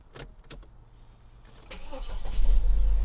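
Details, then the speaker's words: Saab with a completely flat battery, jump-started on a freezing day with a cheap AsperX jump pack on boost: a few faint clicks, then it cranks, catches and settles into a steady low idle; starts and idles normally. "There we go. She's awake. Nice. And on and idling nicely, actually."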